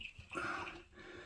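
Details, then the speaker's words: Waterlogged pressure tank after a month-long issue, with water blasting out of the Schrader valve; water sloshes and drips inside the very heavy tank as it's moved. The failed bladder can't be replaced or repaired. "is a heavy beast. It is full of water. You can hear it in there."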